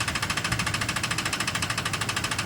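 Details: Recently bought Ford F-150 engine running with a sharp, rapid tick of about ten per second held steady over the engine note; engine knock of unknown cause.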